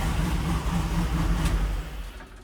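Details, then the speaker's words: 1974 Jeep J10 with LS swap 4.8 V8, after replacing broken number 7 connecting rod with used rod and piston, new head gasket, reused rings and bearings, running with MAP sensor disconnected: steady even V8 idle, quiet, no tapping or rattle. "Truck sounds good, it's nice and quiet, no rattle. I am very pleased."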